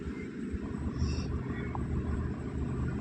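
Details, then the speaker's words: Hyundai i20 (also called i10), petrol, idling with check-engine light on and jerking: low rumble with uneven stumbling thumps; misfire attributed to shorted spark plugs, scanner also lists cam timing and clutch switch faults. "तो दोस्तों आज हम बात करेंगे Hyundai की i10 है और इसमें जो इंजन है वो मिसिंग कर रहा है और इंजन का चेक लाइट भी आ रहा है"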